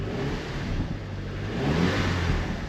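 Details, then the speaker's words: Audi TT petrol engine started with the old spark plugs, coils and injectors refitted: lumpy, uneven revving from a cylinder 4 misfire plus random misfire; cylinder 4 has low compression. "Oh, that sounds much better. It's definitely got a misfire, but"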